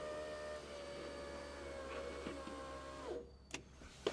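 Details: 1991 Alfa Romeo Spider passenger-side window after fitting a new Centerline motor, door panel still off: a smooth, steady hum as the glass travels down, ending in a soft stop and clunk, healthy operation.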